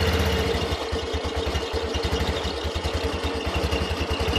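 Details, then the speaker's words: Yamaha Xeon carburetor scooter CVT before disassembly, idling: rapid metallic "jing-jing" jingling rattle over steady engine beat from the rear of the CVT; rear pulley bearing shifted in a worn seat. "berisik. Ya. Jadi ada suara "jing-jing-jing", seperti musik DJ, teman-teman."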